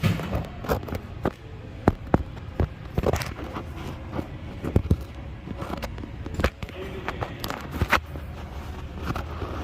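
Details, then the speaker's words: 2008 Ford Escape Hybrid steering: irregular dull pops and clicks on both sides as the steering is worked by hand, from a worn steering shaft U-joint at the steering gear, mimicking a tie rod end; popping stops when the tie rod is pulled. "It's that U-joint coming right off that steering gear. It's that U-joint wore out popping. It makes it seem like it's a tie rod end."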